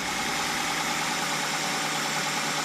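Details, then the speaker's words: 2008 Ford Focus idling after a spark plug change that cured a stumble at idle and while driving and cleared the engine light; steady, even idle heard in the exhaust with no skipping or misfire: normal idle. "it's not hesitating at all as you can hear it in the exhaust she was skipping a beat and she sounds good now"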